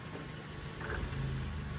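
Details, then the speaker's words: Mazda automatic: low engine drone as reverse is selected, load rising into a rough, uneven shudder and bog when released from the brake; transmission also failed to hold park and neutral stays in drive; cause not confirmed. "That sounded kind of rough. Let off the brake and then it started bogging, see?"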